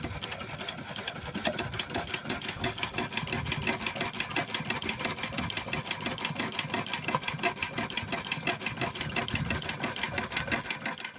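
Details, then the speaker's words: Burrell steam engine running after replacing a worn connecting rod big-end bush that caused a knock: light, even clicking about three per second with water pump chatter behind, no heavy knock; knock appears gone. "Running the engine now, the knocking sound appears to be gone. It can be hard to tell with the sounds of the water pump, so I turn the water pump on and off here so you can hear the difference more clearly."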